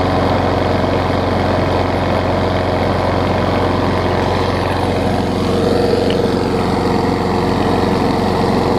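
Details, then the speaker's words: Weed Eater 300 series Briggs & Stratton mower engine transplanted onto a Murray deck with a 21-inch blade, clean air filter and oil: small single-cylinder running at a steady, even speed, smooth and fairly quiet with no knocks or misses, a little smoke burning off; healthy. "Good, and it's pretty quiet, and the deck is almost brand new, so that'll give somebody a good one here."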